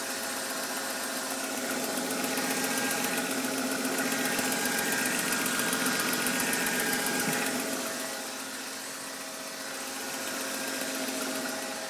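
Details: BMW M52 engine at idle: sharp, even tick about four times a second over a steady idle, seemingly from up top; strange noise, cause not yet pinned down.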